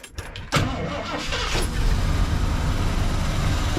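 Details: 1979 Ford Ranchero GT 302 V8, original-owner car sitting 20 years, after fuel tank drain and fuel pump priming: short crank catches fast, then settles into a steady, even low idle with no misses or knocks; starts and runs normally.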